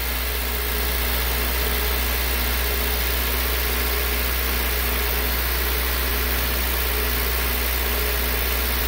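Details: 2003 Honda CR-V K24 with code P1279 after cleaning the clogged VTEC solenoid screen: steady even hum held at 2,000 rpm, oil pressure near 60 psi, no surges or dropouts; normal running as oil warms.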